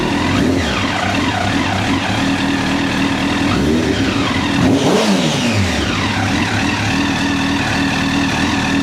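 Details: 2009 Honda CBR1000RR Fireblade at 61,211 km, started with a jump pack: crisp engine revving up and dropping back cleanly several times, no misfire or hesitation; runs healthy.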